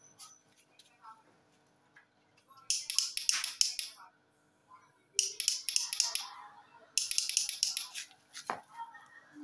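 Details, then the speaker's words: Honda CBR 150 that will not start on the button, mechanic suspects the starter relay: three bursts of rapid dry clicking from the relay when the starter switch is pressed, with no cranking. "Terdengar ya teman-teman suara dari relay starter pada saat mekanik bengkel pencet saklar starternya. Relay starternya hanya bunyi cetak-cetek saja."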